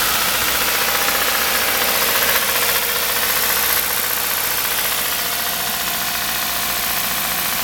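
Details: Kia Rio 1.6 Gamma engine at idle: steady idle with a sharp metallic tick repeating about four times a second; metallic engine knock, cause undetermined.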